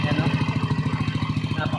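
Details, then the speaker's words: Yamaha NMAX v1 scooter after replacing the camshaft bearing and oil, which had caused knocking and a helicopter-like noise: steady, even idle with a smooth low pulse, no knocking or rattle; healthy normal idle. "Dito po yung maingay niya dati. Yan mga idol oh. Wala na po yung ah kalaksing niya diyan at yung ah tunog helicopter na wala na."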